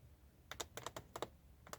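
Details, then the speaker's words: Hyundai Creta interior handles moved by hand: sharp dry plastic clicks in short clusters, creaking trim joints; fixable by applying thick silicone grease with a toothpick into the joints. "вот слышите Да скрип есть эту проблему можно решить меня она не беспокоит но кого беспокоит то это можно избавиться очень легко"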